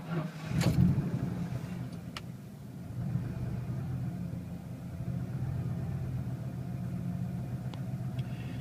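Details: 1994 Ford F150, rusty exhaust: quick crank, fires right up and settles to smooth, steady low idle without missing or hunting; starts fine.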